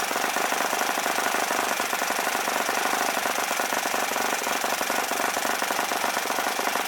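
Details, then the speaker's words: OS FS-40 Surpass four-stroke glow engine rebuilt with new bearings, Enya No. 3 plug, 11x6 prop, warmed up: fast, even, rattly buzz at high speed around 9,400–9,500 rpm, no misses or surging. Normal running. "I was pretty happy with it it sounded good once it got warmed up and it had the decent idle to so it's a pretty nice little engine"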